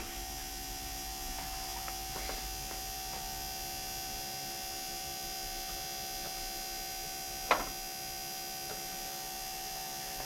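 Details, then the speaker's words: Air-cooled Porsche 911 with Bosch CIS K-Jetronic injection, stone cold, warm-up regulator disconnected, ignition key on for a fuel pressure test: a quiet, even high whirring hum with one brief click. The electric fuel pump runs normally. "now where I'm gonna go turn the key on the ignition to on and we should hear the fuel pump run pump is running"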